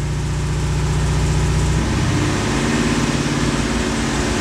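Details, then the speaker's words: 1991 Corvette ZR1, LT5 V8 with 16 Multec injectors: idles fairly steadily, then with the secondary injector system engaged it turns rough and uneven, misfiring from multiple shorted secondary injectors. "clearly we have a shorted injector or actually multiple injectors"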